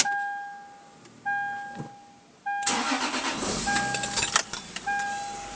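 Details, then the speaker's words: Lexus IS300 with an FIC plugged in, a few chime tones, then a brief crank and the engine catches cleanly and settles into an even idle: normal start (owner reports a misfire at 2,000 rpm). "starts up like a champ that's all I get"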